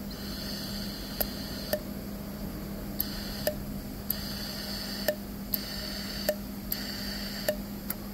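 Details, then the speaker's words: Known-good crankcase ventilation valve off a Mercedes GLC300 4-cylinder turbo (car had code P052E71, valve stuck closed), bench-tested by blowing through while energizing: airy hiss cuts out sharply with each solenoid click, then returns; healthy valve sealing properly. "you see when I'm blowing through continuously and as I energize it it stops you can hear the hissing stops otherwise it just blows through that's the way supposed to be"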